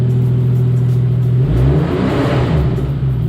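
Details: Nissan 240SX with a 1JZ VVT-i swap, OEM fan clutch, new fan blades and custom radiator support, no shroud yet, warming up: steady idle hum swells into a strong rev with heavy fan rush, not full throttle, then settles; smooth and healthy.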